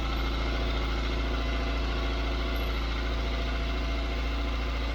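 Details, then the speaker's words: Austin Allegro petrol engine just after a cold start following a fuel filter and pipe replacement. Steady, even, slightly raised fast idle on half choke, no knocks or misses. Normal cold idle. "it's on about half choke at the minute"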